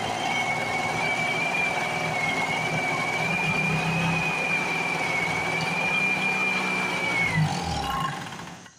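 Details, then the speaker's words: A rusty Speedway Series 1000-watt two-stroke portable generator from an auction, started with a makeshift pull rope, runs with an even, high buzz and steady whine for about eight seconds before dying away. It runs normally. "i'd say she's gonna be a runner for sure"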